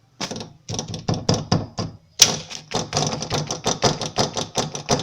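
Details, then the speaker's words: Fiat Cronos door, trim panel removed: sharp hollow knocks, three or four a second, only with the window lowered, not when raised; a loose screw rattling behind the door trim. "Quando você sobe o vidro, sobe o vidro, ele não bate. Mas quando baixa, aí ele começa a passar folga."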